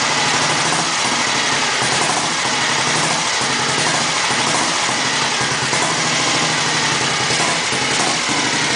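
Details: 1954 Matchless G80S single, first start after 30 years, thumping along at a steady idle with an even beat and lots of top-end clatter but no misses; runs healthy.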